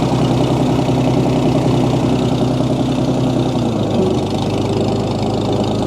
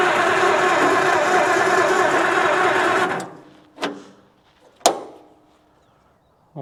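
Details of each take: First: 1937 Oliver Hart Parr 70 tractor idling while the choke is adjusted after a cold-blooded start: steady, deep, smooth beat with no knocks and no excessive transmission or timing-gear noise. PTO turns, but the belt pulley lacks its drive sleeve. Runs healthy. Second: 1937 Oliver Hart Parr 70 tractor started in neutral with choke and throttle, oil pressure showing. It runs rough for about three seconds, then stalls with clunks. Fuel is reaching the carb and spark is present; owner suspects it is cold-blooded.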